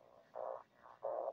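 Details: 60 A switching power supply at very low load, about 0.25–0.5 A, with 120 VAC line: harsh buzzing impulse bursts, peak at 285 kHz, in the receiver via the 80 m antenna; RF noise from the supply travels through house wiring.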